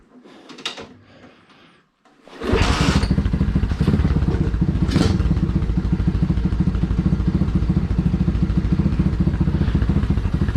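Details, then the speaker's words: Small engine with carb on 607 lb tractor, kick-started first kick after jet changed to 17.5: fast rapid exhaust beat staying high, won't idle below 3000 rpm; high idle, carb not yet tuned in. "first kick so far that sounds pretty money actually it does not want to idle still below 3 000."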